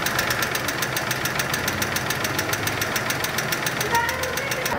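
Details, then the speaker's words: Volkswagen Polo 1.6 at first start, brought in for lifter noise and stalling when shifted to neutral: a quick, even ticking of about six to seven per second over the idle. "müşterimiz işletmemize itici sesi ve boşa atınca stop etme şikayetiyle geldi"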